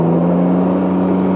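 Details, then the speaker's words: 2019 Can-Am Ryker, engine warmed up: steady, even low whine over the engine note that appears whenever warm; owner suspects the recalled fuel pump, not yet confirmed by dealer. "And I don't know if you can already hear it whining. It whines whenever it warms up. And other people have said that yes, that is the fuel pump, and yes, it is under recall, and yes, they've had problems with theirs."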